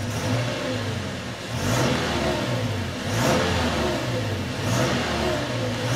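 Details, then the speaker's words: Simulated 2013 Toyota Tacoma (game mod) after an oil change and a new filter, throttle response check: revs up cleanly in repeated blips and settles back, with no misfire or hesitation; same as before, healthy. "just the same as it was before absolutely no problems looks good for me"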